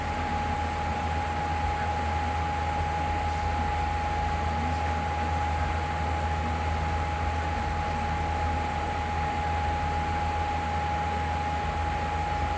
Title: Loud Humming sound